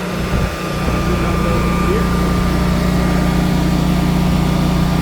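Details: Generac 24 kW propane standby generator at first startup after installation, running in emergency mode on generator power under light household load (7 A on B phase, about 2.5 A on A phase): a steady, even drone with a constant whine and no knocks or misses, so it is running normally under load.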